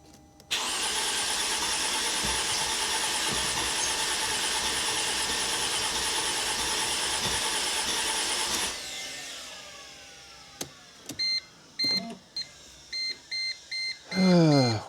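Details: 2005 Mercedes SLK350: starter spins engine steadily about eight seconds then stops, never catches; fuel pressure later measured about 48 psi (3.12 bar); cause unresolved.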